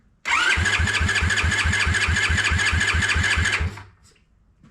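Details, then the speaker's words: Honda ATC70 with a Piranha 140cc swap, first start: choked, spun on the starter with no spark to circulate oil, giving about three seconds of even, steady cranking with regular compression pulses and no firing. "So, I'm going to go ahead and turn it over a little bit with no spark uh to let the oil go through the motor a little bit."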